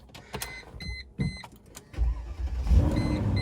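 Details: Mercedes SLK320, sat possibly over a month, started with jumper pack on hand: chime beeps, about a second of cranking, then catches cleanly and settles into an even idle; starts healthy, though an airbag light is on.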